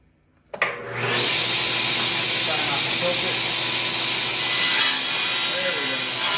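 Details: Used SawStop table saw bought on Craigslist, second pass after the blade seemed too low on the first: blade spins up and cuts steadily through the board, no bogging, squeal or chatter; cutting healthily.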